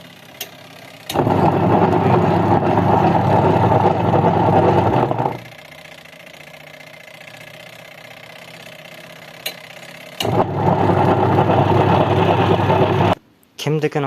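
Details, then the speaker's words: Artel washing machine, wash side running: a loud, rough droning roar in bursts, far heavier than normal. The gearbox or disc activator is worn with stripped splines; the fix is replacing the gearbox, and the spin motor is rusted and seized. "Kimnikini ovozi shunday baland chiqsa, reduktor ketgan bo'ladi yoki mana bu disk aktivator ketgan bo'ladi. Shlitsalar yedirilib ketgan bo'ladi."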